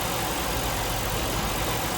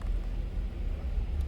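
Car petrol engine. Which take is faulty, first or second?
second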